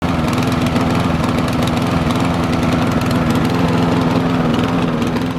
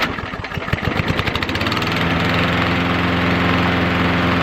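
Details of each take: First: Lawn mower that suddenly began running badly: engine labours unevenly, firing beat stumbling and surging; rough running from incorrect spark plug gap. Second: Walk-behind lawn mower that suddenly began running poorly, started on the first pull after fuel and air filter checks; bad spark plug judged the culprit: uneven chugs, then a steady, even drone; normal running.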